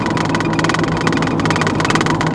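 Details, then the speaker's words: 2000 Chevy Blazer after repair of a P0300 misfire, road test while driving; engine runs smooth and even under road and tire roar, no popping or misfire beats; engine sounds healthy. "we're not here to nitpick somebody's car we just want to make sure this engine is good"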